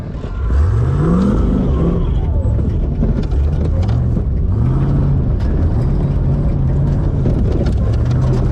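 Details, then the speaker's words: Vehicle at Red CentreNATS 08 revving hard under load: steady strain with uneven knocks from the rear underneath; clunking under load, run abandoned, cause unconfirmed. "Oh, that doesn't sound good. There's too much clunking going on. We're just gonna call it quits on that one."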